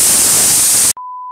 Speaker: Entonces qué pasa si tenemos una consola Y todavía metemos otra consola que naturalmente ya también tiene su ruido de sabes qué significa